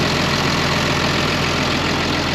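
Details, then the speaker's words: 2005 Ram 2500 diesel after the new FASS lift pump and fuel lines, now drawing from the tank; earlier, pulling only from the water separator, it would have died by now: a steady, even idle clatter with no stumble. A normal idle. "sounds good running pretty even I like it"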